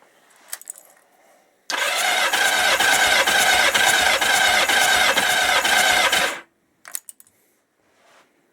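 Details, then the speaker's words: 1977 Kawasaki KZ650/Z650 B1 after fitting a different battery, no fuel line rigged yet: quick, even, strong cranking about four turns a second, no dragging, versus the earlier very slow, sluggish cranking; battery suspected as the fault; normal starter cranking. "everything seems that sounds a lot better in speeds because it was going really slow it was very sluggish so that could have been the problem"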